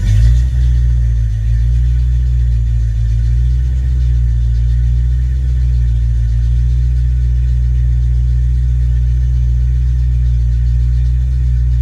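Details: Ford Mustang 5.0 mass air V8 running a rebuilt A9L computer under test: fires and settles into steady even low rumble at high idle after start, no misses or knocks.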